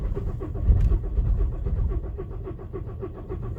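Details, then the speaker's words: VW Golf Plus 1.9 TDI PD 90bhp 5-speed manual, after a new camshaft and buckets: slow rhythmic cranking that drags on before it finally fires. Glow plugs are faulty per VCDS; owner suspects cam timing. Unconfirmed. "you can hear that struggling. It should fire up eventually. It'll spring into life, he says."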